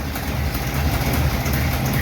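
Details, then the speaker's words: '51 Chevy after fixing lifter noise from pushrods, rockers and worn lock nuts: low, lumpy, loping chug at idle, even and free of ticking; normal idle. "sounds pretty freaking good and we'll check out the exhaust here"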